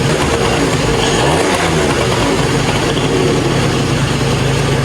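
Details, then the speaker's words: 2005 Yamaha Zuma two-stroke with a big bore kit. Crisp buzz revs up cleanly and drops straight back to idle without hanging. Normal idle and rev response. "Yeah, so it's revving perfectly. You want it to rev up and then come right down."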